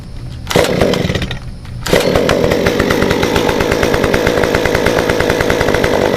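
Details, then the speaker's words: Modified Stihl 193T climbing saw (limiters removed, muffler mod, timing advance, 93 non-ethanol fuel), hot restart after 20 minutes shut down: two pulls, then steady even two-stroke idle, no hunting or stalling; normal. "Okay, so I've had the 193 shut down for about probably about 20 minutes. So fix to crank it back up for you."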